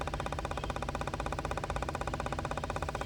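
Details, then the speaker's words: 2013 Cadillac XTS with P0496 EVAP flow during non-purge: purge solenoid commanded via scan tool active test, ticking at 90% but not pulsing at 100%; the purge valve sounds wrong. "so let's increase it to 100% you can hear the valves just doesn't sound right either 90 100 and it's fully open so it's not pulsing anymore"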